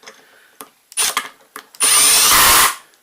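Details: DeWalt DT7513T torque clutch bit driving: a few short bursts, then a sustained rattling buzz for about a second as the clutch slips at its limit; the clutch is shown working.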